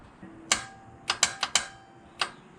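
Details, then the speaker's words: Toyota Corolla TE72 with a swapped 3SGE engine at first start attempt, fuel pressure 60 psi with no leaks: several sharp, uneven single clicks with no cranking. Owner first suspected the starter or a weak battery; it seemed to be a wiring issue. "I don't know if it's a starter or the battery doesn't have enough juice but here's another one here's a good one this doesn't work then sure the starter seems like it was a wire issue"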